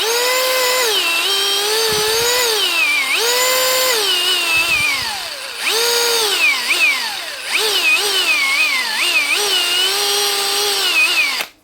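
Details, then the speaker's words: 2017 Hitachi DV18DBXL brushless cordless drill still working but speed all over the place: motor whine surges and sags erratically instead of holding steady; owner hopes it is just the faulty trigger speed switch. "Speeds all over the place. Hopefully it's just a switch."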